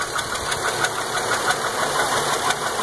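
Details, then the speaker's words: 2003 Impala 3.4L 3400 V6 idling, over 293,000 miles, rocker bolt threads repaired: sharp chirpy tick about six times a second from the back of the engine, not belt related; bad lifter on a worn cam lobe. "and this this noise is not belt related it sounds like it's in the back of the engine"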